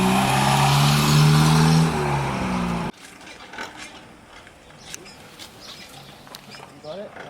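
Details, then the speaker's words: Cheap old Fiat Panda long left unused: loud raspy roar climbing with revs then dropping away, from an exhaust with many holes. Exhaust leak. "Many holes in exhaust. Oh, listen to that."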